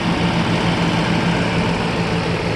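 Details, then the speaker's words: 1995 Mercedes S600 coupe (W140) V12 from Florida at idle: smooth, even low hum with no knocks or misses; engine judged pretty good but leaks oil, air pump makes slight noise, engine mounts badly worn. "So the engine was pretty good. But it leaks oil."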